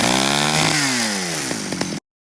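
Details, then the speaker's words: Stihl 009I chainsaw revived after carburetor cleaning, primed and started in cold weather; it screams at high revs then eases down smoothly before cutting off, running great; chain still needs sharpening. "oh I got her running I need to sharpen the chain but she runs great"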